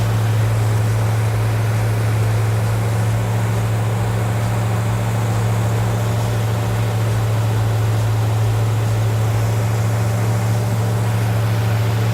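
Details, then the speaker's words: Chevrolet El Camino with a new Goodwrench small-block V8 crate engine (LT1-style valve covers, Summit dual-plane intake and carburetor) on first-start break-in at raised rpm, vacuum advance connected, about 20–22° timing. Steady even drone, no clatter; oil pressure present, no leaks. "So that's good. Sounds good. Not clattering. I know we have oil pressure."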